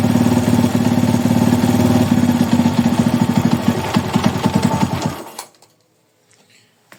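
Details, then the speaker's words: Honda Today motorcycle after replacing a failed crankshaft bearing: single-cylinder engine idling evenly with a steady, clean beat before being switched off; normal idle, strange engine noise fixed. "solucionado agora é só dar uma lavada aí dar uma higienizada no motor por fora e tá pronto era só o rolamento do vira"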